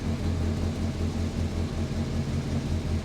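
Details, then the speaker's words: Morris Minor after engine swap replacing the worn 200B engine, just after first start: low, even rumble with no missing beats, sounding better once the choke is pushed in; normal idle on choke. "it sound a lot better once the choker has being pushed in of course"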